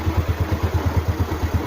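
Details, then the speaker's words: Motorcycle idling on a new DAYWAY 5L battery (12.56–12.68 V standby): single cylinder, quick even pulses about nine a second, no misses or clatter; voltage rises to 13 V after start, regulator charging, healthy idle. "So umakit siya ng 13. Ibig sabihin goods yung regulator natin kasi nagcha-charge siya."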